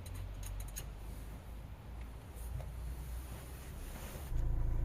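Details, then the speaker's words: Hyundai ix20 idling after replacing the worn rubber gear in the electric power steering (EPS) coupler: steady low rumble with no clacking from the steering column; the steering clunk is gone. "Et voilà, le bruit de claquement a disparu."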